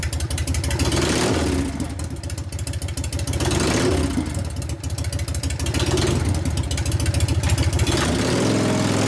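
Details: 1999 80ci Evo V-twin, rigid, after reassembly: loping idle with throttle blips, tight even beat, no clanking from the primary that clattered before the repair. Normal running, no primary drive clatter.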